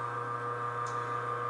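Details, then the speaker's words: Champion high-rpm single-auger juicer bought in the mid-1970s and never serviced, running empty with no vegetables. A quiet, steady hum with a few fixed tones and no knocking or grinding: the motor is running smooth and healthy. "You know, it doesn't sound like an aircraft, does it? It's not, you know, you're not getting buzzed by this thing. It's not very loud at all."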